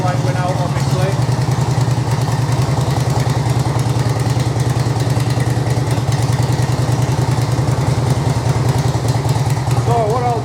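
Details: 2005 Harley-Davidson Electra Glide 88ci V-twin, about 2500 miles since rebuild, idling in neutral after oil service: even, steady low thumping idle, no missed beats, knocks or rattles; normal, healthy.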